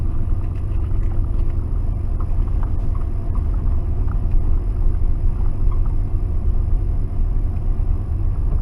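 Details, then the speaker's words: 1992 Ford F-150 4x4 302 V8 revived after sitting 10 years, vacuum line reattached, alternator still charging: deep smooth rumble holding steady, no knocks, misses or ticks; still running and charging good. "Still running good, charging good."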